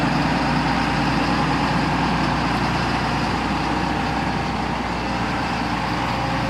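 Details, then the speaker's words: John Deere 9600 combine diesel after replacing a worn-out injector (earlier blue smoke, diesel-diluted overfull oil, 37E code): steady even low idle rumble, no misses or knocks; running completely different now, normal healthy idle. "I don't know how well you're going to be able to tell this on the camera, but this thing is running completely different now."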